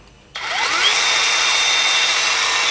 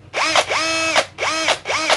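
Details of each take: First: Nagawa BCS 180 cordless mini circular saw on a Makita LXT battery, free running: two clean runs, smooth high whir spins up, holds steady a few seconds, then winds down evenly; healthy saw. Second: NRT-Pro type B C743 unit: short bursts of harsh raspy whine over the motor tone; owner suspects the brushless motor's rotor rubbing the stator, possibly shifted during shipping.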